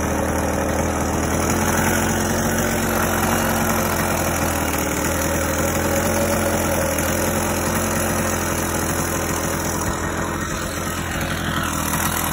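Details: 50cc single-piece-jug two-stroke motorized bicycle engine, about 3,000–4,000 miles, cold day, just richened after the clip was moved, idles steady and even with a fast light beat and no misses or rattles; healthy normal idle.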